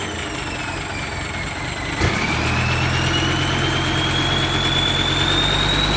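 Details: D-Max diesel after fitting a new turbo, replacing one whose impeller broke; exhaust pipe installed. A clean whistle climbs steadily in pitch as the engine spools up, with no grinding or scraping. Healthy turbo, sweeter than before.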